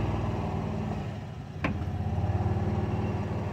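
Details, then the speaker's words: Pickup truck after new rear brakes installed, earlier slight metallic grinding; after backing up to let brakes self-adjust, low even rolling rumble with one click, grinding gone. "i can't really i can't tell i think it's gone yup we're good"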